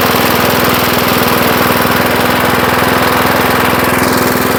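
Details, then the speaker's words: 1975 Murphy's 20-inch push mower, first run after long storage in a shed: quick even single-cylinder putter, around three and a half beats a second, steady and unbroken; running healthy. "I got to say she don't sound too bad sitting here running motor does sound really good I I'll say that so yeah I'm I'm quite impressed"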